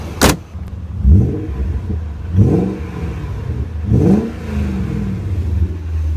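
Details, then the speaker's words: 1997 BMW 540i six-speed V8, about 150,000 miles, new spark plugs and ignition boots: three quick throttle blips rise cleanly and fall back to a steady, smooth idle with no misses or knocks; owner says it sounds great. "everything runs I'm not worried it sounds great"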